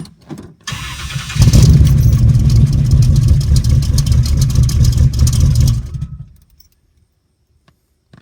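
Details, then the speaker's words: 1974 Pontiac Trans Am 455 V8 after mini starter upgrade installation: quick starter whirr, then the engine catches cleanly into a strong, even rumble before shutdown; normal cranking and healthy start. "pretty good man it sounds like a race car starting up"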